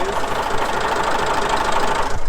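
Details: Restored 1962 Massey Ferguson 35X diesel tractor, started recently: steady, even low diesel clatter at a settled idle with no misses or knocks standing out; engine idling healthy.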